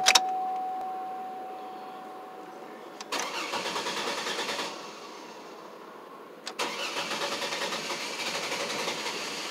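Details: 2003 Chevrolet Trailblazer hard start: starter cranks in long uneven bursts, about three turns a second, engine slow to catch; owner suspects fuel issue, possibly worse after sitting; extended crank hard start.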